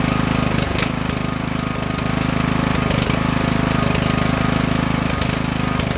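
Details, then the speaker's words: Craftsman LT1000 riding mower after an engine swap, started on choke with fuel on: loud, even chugging with a steady beat and no misses or knocks. A fuel leak is suspected at the tank grommet. Normal running. "so let's start it up and if it stays running let's just try to move it around the yard"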